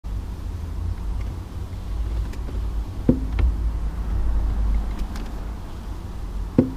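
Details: 2012 Vauxhall Insignia 2.0 CDTI 160 diesel idling, heard in cabin: sharp single knocks right at the end of clutch pedal release, also felt through the foot.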